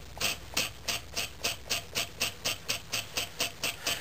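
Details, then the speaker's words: Homemade scrap-built compressed-air engine running on about 5 psi from a small compressor: sharp hissy air puffs about twice a second with a dry groaning valve; needs oil. "you can hear the valve groaning I need to put a little oil in there and I thought I had some oil in here in my shop but I don't seem to find any"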